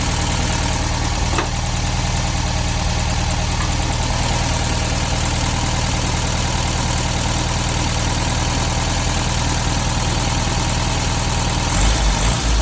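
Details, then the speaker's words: 1972 VW Beetle 1200 idling unevenly with fast light ticking about four a second after valve clearance adjustment; clearances likely set too loose, need tightening; now running on all four cylinders after new plugs. "So you could hear the valve train noise there. Definitely think we went a little bit overboard with those valve timings. I think just going to have to tighten them up a little bit."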